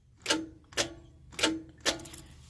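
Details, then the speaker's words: RV with ignition key turned, radio on: four sharp metallic clicks about half a second apart with no cranking; starter clicks but won't turn the engine, owner suspects a stuck starter with carbon buildup. "you can hear that it's trying to turn the starter but it can't because it's probably stuck so I feel like there's probably just a bunch of carbons stuck in there and stuff"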